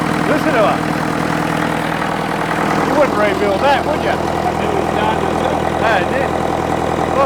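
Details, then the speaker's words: International Harvester 554 diesel tractor just started on ether after about five years sitting, unbled: steady, even idle with clean low beat and intake hiss, no misses or knocks; running clean, starting to smoke a bit. "it's running pretty clean starting to starting to Chum a bit out now but it's just magnificent"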